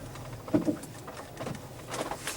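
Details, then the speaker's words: 2007 Pontiac G6 GT driving over small bumps: dull hollow clunks from the front end, caused by worn, loose, dry sway bar links; replaced with greaseable Moog links. "Every time you barely hit a bump, you hear that clunk, clunk, clunk, clunk."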